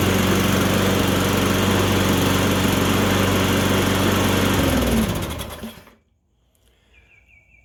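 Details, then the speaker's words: Electric-start lawn mower after carburetor cleaning: runs smooth and steady with an even beat, then winds down cleanly at shutoff; starts easier than before; normal running. "It doesn't have to crank as much, from what I remember, starting it before the carburetor cleaning."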